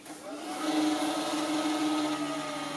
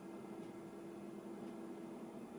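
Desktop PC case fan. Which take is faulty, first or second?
first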